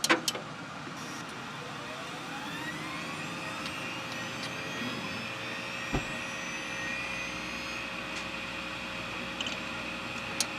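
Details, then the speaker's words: Old junked PC rebuilt as a SHOUTcast server, with a 5.25-inch Quantum Bigfoot drive and a 120 GB drive. At power-on a soft whine climbs in pitch, then holds an even tone; a healthy hard drive spin-up. "and we'll fire this bad boy up here just listen to this thing spin up I love it"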